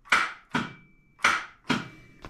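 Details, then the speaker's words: Homebuilt supercar, newly finished engine, no oil yet: temporary starter button wired only to the starter solenoid, no power wire; five sharp clicks half a second apart with no cranking whir. "I have the wire ran to the starter just to the solenoid it'll engage the starter but there's no power wire running to it you can hear it"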